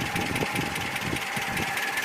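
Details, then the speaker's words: ZMZ 402 engine, cold at idle about 550-600 rpm, oil pressure around 3.5, then blipping throttle: sharp metallic knocks in quick uneven bunches that come and fade; cause was play between piston pin and connecting rod in all 4 cylinders. "Вот и сразу появился стук. Хотя до этого его не было. Может постучать и успокоиться."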